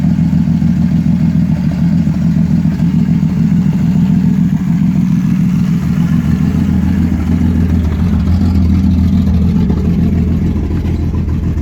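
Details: 1989 Ford Falcon EA, port-injected, column shift, with distributor and coil pack. It runs only while the key is held in crank with the starter engaged. Heavy, uneven stuttering misfire; owner suspects the coil pack, unconfirmed.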